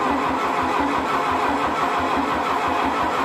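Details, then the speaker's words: 1972 VW Beetle 1200 engine, original, sitting for decades, run on a stand: starter cranks evenly without catching; carburetor not drawing fuel, likely varnished or clogged, fuel starvation. "again okay it's not drawing fuel yet let's even get some more into the curve swallow it up"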